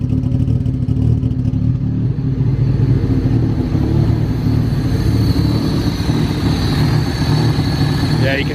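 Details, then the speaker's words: Honda Del Sol, stock D16 with an eBay turbo kit, at idle: lumpy, stumbly idle with a wandering beat and occasional misses, smoothing slightly. Rough idle; wideband reads only lines, possibly lean, and is not trusted. "I don't know if you can tell on camera but the motor is really shaky I don't know if it'll smoothen out at all sounds like it might smoothing out a little bit"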